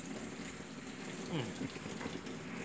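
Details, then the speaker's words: LG WF-T801TD automatic top-load washer with the tap opened but the machine not yet switched on: water rushes and gurgles steadily into the tub. The inlet keeps filling when it should be shut, a constant-fill fault. "ยังไม่เปิดเครื่องปรากฏว่าบอกให้เอาน้ำเข้าเลยอ่าปรากฏว่าน้ำไหลเข้าเลยนะครับ"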